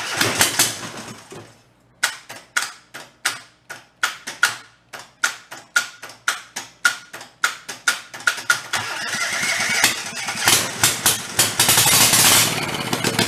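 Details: Rebuilt Kohler Command 20 hp engine, carburetor fuel solenoid jumpered to 12 V and choke off: sharp cranking strokes about three or four a second, then it catches and runs steadily; no leaks.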